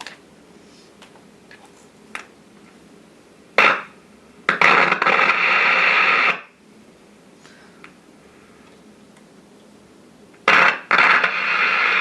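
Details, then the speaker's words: Philco 40-145 radio with Loktal tubes, first power-up before restoration: quiet hiss broken by sudden loud static bursts that cut in and out irregularly. Intermittent crackle; contact issues suspected. "all right we're just gonna jump straight to the danger oh yeah locked old tubes let's listen to these contact issues anyway it might work"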